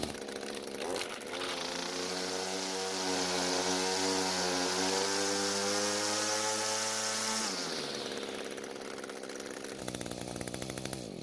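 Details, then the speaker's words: Echo GT200R two-stroke trimmer after the L screw was adjusted and the drive shaft was repositioned to engage: a high, buzzy note holds a steady, even speed, then winds down cleanly. The H screw was already correct, and it now runs normally. "so it looks like that fixed the problem in the the engine seems to be running much better as well"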